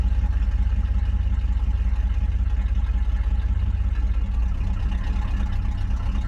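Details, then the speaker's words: 1977 Chevy C20 Bonanza 3/4-ton carbureted truck at idle: a deep, very loud, blatty rumble pulsing evenly with nothing muffling it, with an exhaust section described as completely cut off; obnoxiously loud exhaust. "I like loud, but this is just this is loud to where it's like obnoxious and not cool sounding at all."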